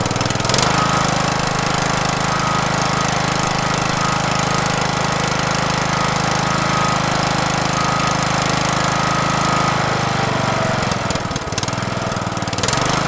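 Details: Craftsman LT1000 mower, Briggs 17.5 HP OHV single, after new carburetor, fuel lines and air filter: starts and settles into steady even beat at constant speed with no misses or knocks, then shuts off; healthy.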